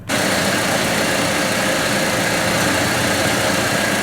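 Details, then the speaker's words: 2005 Toyota Tacoma after alternator replacement (old unit not charging, warning light on): steady even idle with no knocks or squeals, charge light now out, repair successful. "Alright, so the truck's running now. The light is out. Perfect. We're good to go."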